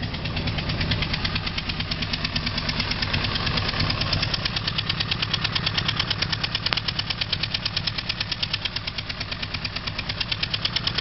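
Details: 2003 Honda CBR600RR engine at idle: sharp, regular clicking about three per second in time with the engine; cause not identified.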